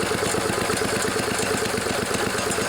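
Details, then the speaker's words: 1974 Sears Craftsman Rotospader tiller with a Tecumseh single-cylinder engine, newly fitted carburetor being tuned with the air filter off: a steady, even putter with no misses or surging. The engine runs well. "this old machine runs and it runs pretty good i'm happy about that turned out pretty nice"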